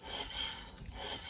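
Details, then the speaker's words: Caravan running gear service: soft steady scraping hiss, a slight grind from the brake shoes pressing on the wheel hub drum as they should, nothing seized; normal light brake shoe drag. "you can hear that slight grind on there that means that the shoes are pressing up against the wheel hub like they should be"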